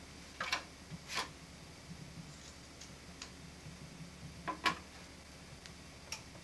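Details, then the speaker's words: Maxtor 20 GB old hard drive powered up: quiet steady hum with faint irregular ticks and sharper clicks about every second. Drive described as heavily worn. Hard drive clicking. "On a affaire à un disque qui a beaucoup d'usure."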